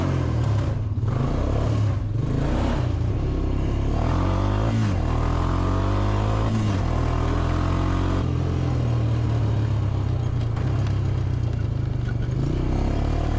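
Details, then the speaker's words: Honda TRX350 ATV after carburetor cleaning and refitting a forgotten spring, still not running right: engine revs up and falls back repeatedly, pitch flattening and sagging near the top instead of climbing; power loss at high RPM, cause unknown. "I don't know why it's losing power at high RPM."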